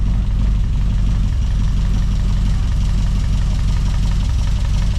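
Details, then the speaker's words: 1989 Rover Mini Racing Green with John Cooper conversion, after fitting MED roller-tip rockers and a brake servo; low even idle holding a constant note, with no change or hiss when checking the servo joints for leaks. Normal idle. "if you hear the note change significantly it's probably leaking um but this sounds absolutely fine"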